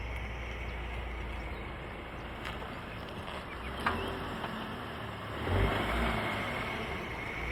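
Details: VW Tiguan rumbling along with a few sharp knocks as load shifts; owner asks what the clunky driveline rattle is, suspects gearbox or dual-mass flywheel, unconfirmed.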